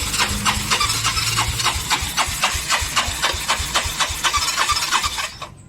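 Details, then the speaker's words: Yamaha Mio 125 scooter with hard starting, oil in coolant, fast-fouling plugs; air filter removed, battery freshly charged, old spark plug: starter cranks briskly about four strokes a second, no firing, long cranking fails to start. "สตาร์ทแล้วเป็นลักษณะนี้ครับผมสตาร์ทยาวก็ไม่ติดครับ"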